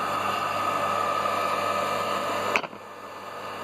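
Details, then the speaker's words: Half-HP peripheral water pump after replacing the rusted bearing: steady, even motor hum with a faint high tone and no grinding or rattle until switched off; bearing noise gone. "Bueno ahí como ven ya no hace ruido aquel espectacular nada que ver era de alemán que estaba este oxidado bueno"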